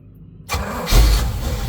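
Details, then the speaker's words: Volvo Penta 454ci V8 boat engine with the new HEI distributor reset on the number one lead and the leads put in order, before timing-light adjustment: quick crank, catches cleanly into a smooth even low idle; normal start. "That's what we want. Boy, am I happy."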